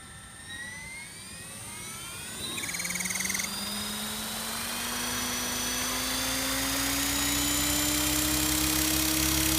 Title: Goblin 500 Sport Strange Noise